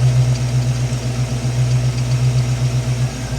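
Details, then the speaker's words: 1967 Ford Mustang V8, automatic, carburettor, after Pertronix ignition replaced points, timed to 6° BTDC: even, lumpy burble with evenly spaced pulses and no stumbles or misfires; healthy idle, fires up on the button. "it's now running absolutely beautiful. Fires up on the button."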